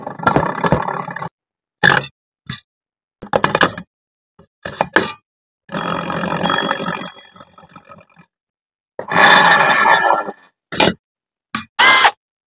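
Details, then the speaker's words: Honda Vario 125 with its rear wheel spun by hand: rough, gritty grinding in bursts from the CVT; traced to the rear pulley, mostly its worn bearing. "oke mas Vario 125 punya jenengan sudah tak cek sudah tak analis yang menyebabkan bunyi kasar Mas pada bagian CVT bunyi gr gr gr G ya Mas itu di bagian poli belakang Mas letak masalah ada padaakar dan juga lebih dominan ke lakerpi Mas"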